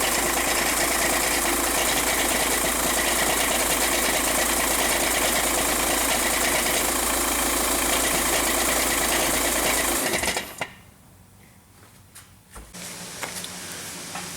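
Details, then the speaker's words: 2006 Jetta TDI with DSG: diesel clatters steadily, then loose metallic rattles as it shuts down; badly worn dual-mass flywheel. "the customer has this 06 jetta with a rattle noise it's a the dsg flywheel has worn out these rattle all the time this is one of the worst ones i've ever heard though"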